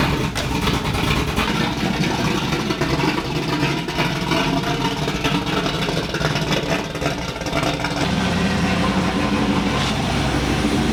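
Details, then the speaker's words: Third-gen Camaro Z28 on a cold start: uneven cold idle with a steady whooshing fan roar. The fan runs because a rich generic test tune, not the car's tune, is loaded. Cooling fan running on cold start. "that's why you hear the fan running it's not the tune for this car it's just a test tune man it's rich so it's not that bad"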